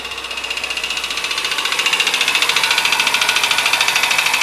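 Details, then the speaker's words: Car engine at idle, seemingly cold: fast, steady light ticking at about three and a half per second, identified as a worn hydraulic lifter in the cylinder head, not broken rings or a head fault. "Esse é o tucho do motor que está desgastado ali do cabeçote. Então quando você for no mecânico, você já vai sabendo qual é o problema. Quando ele está com esse barulho, esse é o tucho que está desgastado."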